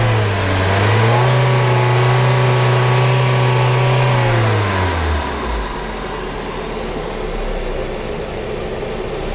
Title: VW Vento 1.6 engine noise || Automatic